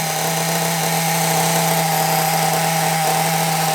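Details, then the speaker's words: Small nitro RC engine, carburettor suspected as the earlier problem and a known-good carb to be tried later; steady high-pitched buzz holding one pitch without surging or dropout, tick-over slightly high; clean normal idle. "but it's running well sounds really good happy with that"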